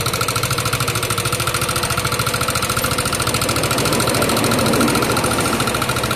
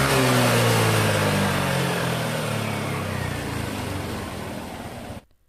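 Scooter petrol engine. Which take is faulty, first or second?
first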